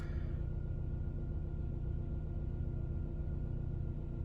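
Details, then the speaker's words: Vauxhall Astra salvage rebuild, after fault code 59 cleared without disconnecting battery: smooth, even low idle with no misses, ticks or rattles; no codes returned, car running nice after a quick repair. "There's no issues. Car's running nice. Luckily, this one was a quick and safe repair."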